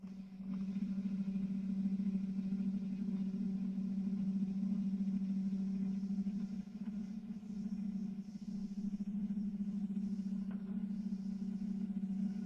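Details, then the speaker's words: Small lightweight desktop lathe turning steel at an excessive depth of cut: a steady low droning hum with faint irregular ticks. The tool and chipping are fine, but the machine structure starts to struggle and labour. "The material chips well, the structure of the machine starts to struggle a little."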